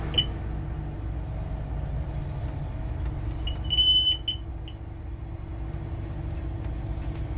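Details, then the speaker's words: Work bus at idle: sharp high chirp in short bursts with one longer beep, the side emergency exit alarm falsely tripping as the bus thinks the exit is open; owner suspects a rubbing wire, not the plunger, unconfirmed. "it's definitely the side emergency exit, because after it's done this, I've got to go back open and shut the door once or twice so that I can turn off the bus without the alarm going off, because somehow the bus thinks that the emergency exit's open."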